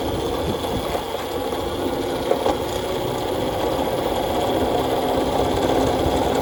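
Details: Nathan's custom Voloci electric bike, first ride in about 20 years, riding: loud, uneven rattle of rapid clunks over a steady drone; heavy hub motor cogging, not the chain.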